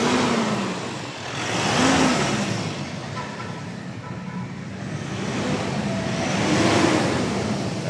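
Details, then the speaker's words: Mitsubishi Strada diesel, about 2019, after replacing faulty turbo hose that caused black smoke and a strong air leak: couple of clean even revs outdoors, no hiss, flutter or stumble; pulls up smoothly, leak gone. "gas so nawala na yung singaw dito normal na normal na yan So kanina Napakalakas ng singaw nito"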